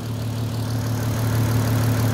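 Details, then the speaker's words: VW Golf R32 cold after sitting: steady, even low idle hum with no knocks or rattles; sounds fine, though owner wonders whether oil too thick and sludgy might make it rattle once warm; normal cold idle. "that sounds mint um unless it was the oil unless the oil was too thick and gone sludgy and it rattled when it was is warm"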